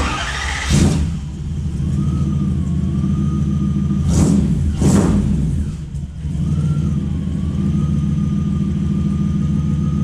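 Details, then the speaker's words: Toyota 1UZ V8 in a Ford Falcon with newly finished custom exhaust, glass packs and side exits: deep even low rumble, quick throttle blips rising and settling cleanly; normal running. "So I think the car sounds a million times better. It has that low rumble that I was wanting,"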